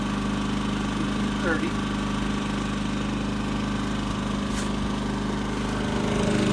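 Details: Champion 3400 W dual fuel inverter generator, model 100263, new unit with a regulator damaged in shipping, plugged into an RV via 50-to-30 amp dog bone and powering it: steady mid-pitched drone with even hum, holding speed without hunting or surging; normal running under load.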